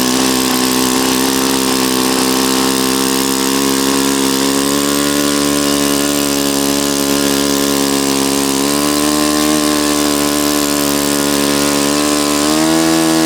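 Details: Saito FA-40a four-stroke glow engine, 11x6 Master Airscrew prop, Omega 10% fuel, valves set, needle opened 2.5 turns: steady, clean high buzz that climbs smoothly with throttle, no misses or rattles; healthy normal running.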